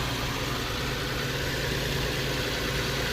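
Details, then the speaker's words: Infiniti Q50 VQ37 with 156,000 miles, after a spark plug change; smooth, even idle with a soft steady hum and no stumbles, hiss or surging while warming up. "And it should start up perfectly fine. No more issues, no more problems. Let it warm up a little bit."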